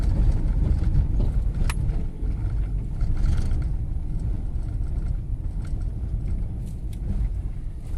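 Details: Fiat Strada after fitting a new TRW steering box and steering terminal, test driven slowly on the same cobblestone street: only steady tyre rumble, no clunks or knocks from the front end; steering and suspension sound tight.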